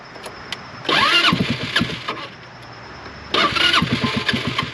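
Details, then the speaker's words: HammerHead 250cc go-kart with the battery clamped onto a loose side terminal: two fast, even cranking bursts of about a second and a half each, turning over much better, but it never fires. "yeah it turns over much better with that on there so that's nice because it doesn't really want to run"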